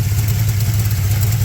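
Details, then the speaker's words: 6.0 LS-swapped S10/Sonoma at idle with aftermarket rocker arms and a slight header-collector exhaust leak: low even idle with a faint loose swirling rattle like marbles; source unconfirmed; holds 40 psi oil pressure. "these rocker arms they do make a little bit more noise than the stock ones you got just a little bit more weight rolling around but you can hear a little you can hear it kind of a green ring like a swirl sound almost like"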